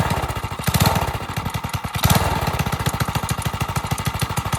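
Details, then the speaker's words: Single-cylinder engine on a drift quad, freshly fitted with a Nibbi carb, after an initial flood: quick, even popping beat, crisp pulses, no misses; runs healthy and clean, sounds different. "Wow. Ooh. That sounds beautiful."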